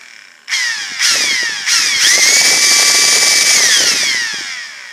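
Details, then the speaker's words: Ryobi P738 inflator that won't start normally, started by partially pressing the trigger several times then locking it on full; motor whine stutters in short bursts, climbs to a steady high pitch, then fades; not switch or batteries, suspected handle electronics or motor. "But by partially depressing the trigger several times to get the motor to start to turn over, then hit it and lock it on to full, then it appears that it will"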